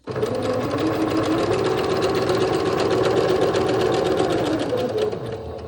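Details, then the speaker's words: Sewing machine stitching elastic shirring lines, with fast even needle ticking about four per second over the motor hum; she thinks the needle may need changing. Needle clicking, cause suspected, not confirmed. "Maybe I need to change my needle. My needle sounds very sad. Did you hear how it was clicking?"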